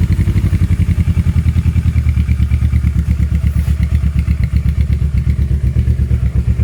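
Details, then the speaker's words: Kawasaki KLE 650 A7 twin bought at auction, warmed up with choke off: loud, deep, even thumping beat, about three pulses a second, no knocks or misfires; healthy engine, very loud open exhaust needing a baffle. "it is mental out and it does need a baffle on the back but this is a well-known exhaust so I should be able to get one easily"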